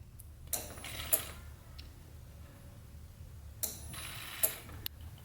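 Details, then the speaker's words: LS-swapped Nissan 350Z, fuel pump run via relay triggered by grounding blue/white wire after fitting missing fuse: steady low pump hum with relay click and bursts of fuel rushing through; normal fuel pump operation. "and that's just taking negative trigger activating the blue white wire which triggers the relay to run the pump"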